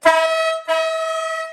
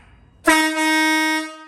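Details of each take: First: Monster truck air horn test with the small and big horns paired as a dual-tone: two short blasts, a strong high note over a faint low one. The mismatched horns sound thin and cancel each other out, so the owner decides to keep the big horn alone. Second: Monster truck air horn with the big horn refitted after the smaller horn of the pair broke: one loud, steady, deep blast of about a second, clean and even in pitch, like a proper truck horn; normal air horn.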